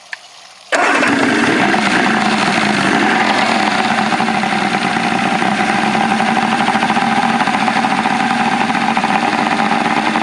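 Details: 1984 Grady White Overnighter 20 outboard with three two-barrel carbs, freshly mounted and run on flushing water; it catches quickly and settles into an even, busy idle with no misses or knocks, though the fuel distribution block leaks while running; healthy running.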